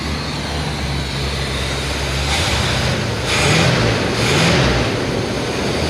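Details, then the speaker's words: Abandoned K5 Blazer V8 after some cranking and a squirt of starter fluid, showing 40–50 psi oil pressure: big V8 settles into a steady, low idle, briefly picks up and comes back down, and sounds smooth and healthy; normal idle. "That engine sounds healthy. Exhaust fumes for days."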